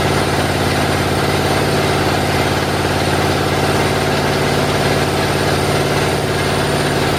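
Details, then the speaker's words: Chevy 350 V8 with new flat tappet cam: loud, steady lope with an even firing beat around three and a half per second, open exhaust, smooth and settled; normal idle. "I brought the idle down to where it's idling, got everything dialed in, and that's basically it for the break-in."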